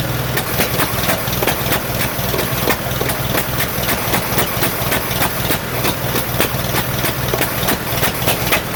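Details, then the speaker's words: 1947 Farmall M tractor at idle during first start after rebuild, misfiring on two cylinders: lumpy, uneven idle with skipping beats, carburetor popping, no power; cause later found to be reversed plug wires. "it's only running on my two cylinders that I cannot figure out there's also a lot of popping coming out of the carburetor if you can see it also doesn't have any power because it seems to be running on only two cylinders"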